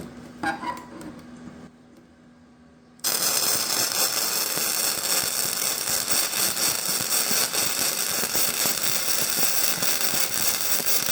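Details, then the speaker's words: VEVOR MIG 145 inverter welder turned up to 145 amps and 20 volts: steady, even bacon-frying crackle without pops, much better than the lower setting, with good penetration and heat discoloration. "okay so that sounded a lot better right from the get-go okay so that weld looks a lot better it sounded a lot better looks like we've got good penetration"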